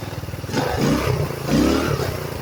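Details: GY6 scooter after CVT repair, cover off demonstrating acceleration: small engine revs up twice, pitch rising and falling smoothly, no slipping or grinding; normal CVT operation under acceleration.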